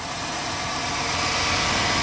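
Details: Chevrolet Silverado after idler pulley bearing replacement and belt refit, first start; steady, even idle with no squeal, chirp or rumble over a hissy background, engine and belt drive running smoothly.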